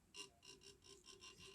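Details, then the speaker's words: HOMA GRP series grinder pump, impeller turned by hand after suction cover adjustment: repeated short metallic scrapes about three a second as the impeller grabs the suction cover. The clearance is too tight and needs further adjustment to avoid wearing the plate and cutters. "you could hear the metal grabbing there, which means I still need to do an adjustment."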